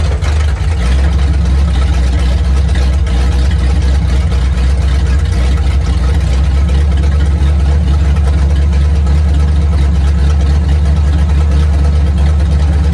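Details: 1950 Ford flatbed dump truck with flathead V8, revived after sitting about 40 years: deep, steady, even idle with no knocks or misses. Runs like brand new, carburetor works; cooling system needs help.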